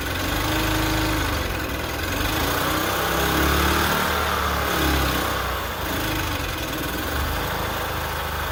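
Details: 1998 EZ-GO TXT gas golf cart bought as non-running, engine repaired; small petrol engine idling steadily with slight natural waver and no knocks or misses, sounds healthy.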